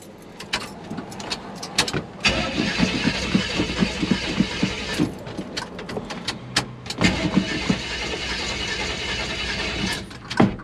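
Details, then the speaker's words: Engine cranks in repeated bursts with uneven chugs but never catches. The owner suspects the choke came off too early, or that it is out of gas since the fuel gauge doesn't work. "I think maybe the choke went off a little bit too early."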